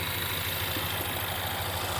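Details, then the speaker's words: 2016 Ford Mustang 2.3L EcoBoost, replacement engine with reused intake and turbo, 128,572 miles: idle with steady airy hiss over low rumble; intake leak from turbo inlet pipe cracked behind the band clamp. "They reuse the intake, they reuse the turbo. You can hear that. So they reuse the intake and it's broken."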